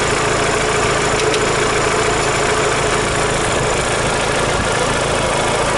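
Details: Daewoo Lanos 1.6 16V after a head gasket replacement and cylinder head skim; timing belt, rollers and water pump replaced a year and 5,000 km earlier. Loose, uneven knock over a steady idle; owner suspects a repair error or failed roller.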